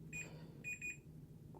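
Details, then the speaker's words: Multimeter continuity beeps, three short high-pitched beeps over a faint hum, while probing pins on a Dalrc Engine BL32 4-in-1 3-5S ESC with ripped pads to map the top connector pinout. "so I'm just gonna touch s4 so I'm touching this boy and it's beeping now"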